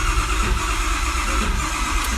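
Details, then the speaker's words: 6.4 engine being test-started before teardown, with low batteries: slow, labored cranking with irregular spits and hiccups, as if it wants to fire but never catches; no start. Cause unconfirmed. "so right now with it spitting like that with it kind of hiccuping trying to a"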